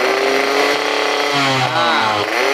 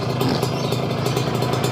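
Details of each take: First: Two-stroke motorcycle (RX-King): raspy revving, coarse and uneven through rev changes; owner suspects piston and connecting rod noise, clutch rubber also noisy when clutch pulled. Rough running, cause not confirmed. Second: Kawasaki Ninja 2-stroke, warmed up after 20–30 minutes of running: steady, even burble at constant idle with no misses or clatter; runs smoothly, said to sound like a stock bike.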